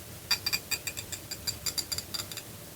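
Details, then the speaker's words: Repaired ratchet wrench after reassembly and loosening the adjustment so it pivots both ways: crisp, bright, even clicks in quick bursts, a healthy pawl catching each tooth. "Voilà, ça a l'air de bien marcher. On met de l'autre côté. Voilà. On entend bien le cliquetis."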